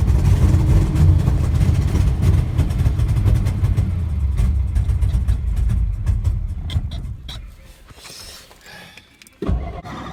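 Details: 1963 Studebaker Lark sat since 2010, after an earlier backfire and brief run, given more gas and starting fluid: steady rhythmic cranking near four beats a second, never catches; crank no-start, owner suspects the fuel needle isn't freed.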